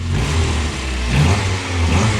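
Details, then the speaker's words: Mazda Miata run after a snapped, failing alternator belt was found causing earlier noises: smooth even revs, clean deep exhaust, no lifter tick, squeal or rattle; engine running healthy. "well guys good news she's running it's not making those crazy noises anymore"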